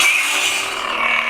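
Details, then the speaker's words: Lightsaber (Saber 40 Phoenix) emits crackly, distorted speaker sound like an old walkie-talkie over the hum; a symptom sometimes caused by low battery, so charging is the first fix to try. "I don't know if you could tell but the sound quality is a bit deteriorated it sounds a little more I don't know crackly kind of like you know old walkie talkies that are a little crackly"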